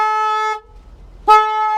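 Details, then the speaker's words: Flooded Mercedes at a salvage auction: two loud steady horn blasts with a short gap as the car alarm goes off as soon as the battery is connected; key won't turn. "the alarm goes off as soon soon as you turn or as soon as you turn that battery on this thing just starts going crazy at you"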